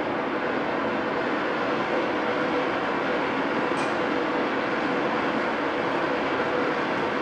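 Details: Oxy-fuel torch cutting thick plate with a quarter-range rated tip: steady, even roaring hiss with no popping or sputtering; clean sound coming off the bottom of the cut.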